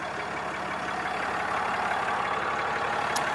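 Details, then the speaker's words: 6.7 Cummins Mega Cab dually diesel idling after valve lash adjustment (had been clacking), fresh oil and tightened loose right motor mount, from cold: even light clatter about three beats a second, no valve clacking; quiet normal idle. "I also did valve lash on it, so I did the valve lash adjustment because it was clacking and clicking and all that. So she's quiet now."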